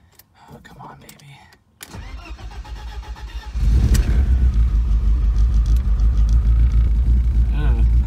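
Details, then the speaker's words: BMW E36 318is on first start after cooling system plastic connector repair and reconnecting the starter wire: a few seconds cranking, then an uneven lumpy rumble that clears up a little; rough running. "sounds a little icky ah it cleared up a little bit"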